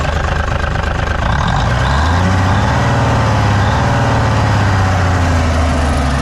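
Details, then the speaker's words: 1957 Hayes HD diesel truck revived after sitting, started with ether after its coolant was topped up: deep, steady idle with an even low thrum and no knocks or misses; it fired right up and runs well. "all righty well the [ __ ] minty old [ __ ] runs mint fired right up"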